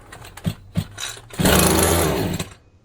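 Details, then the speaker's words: Champion 23C two-stroke string trimmer with its choke missing, so it can't draw fuel. After fuel is dribbled in, it fires in a buzzy burst for about a second, then dies. "Yep. That was enough to get her to fire off."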